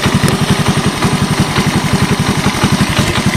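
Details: 1986 Honda TRX125 single-cylinder from a scrap yard, hotwired and run on a jump pack, almost out of gas. Steady thump of about twelve even pulses a second with no misses or knocks; a clean, healthy idle.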